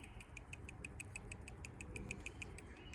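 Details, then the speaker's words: New genuine Honda PCV valve (17130-RCA-A02) for a Honda Odyssey, shaken by hand before install: crisp light ticks about six a second as the check ball rattles freely; normal, as a new valve should. "new PCV vaults should rattled so I'll rattle this one close to a"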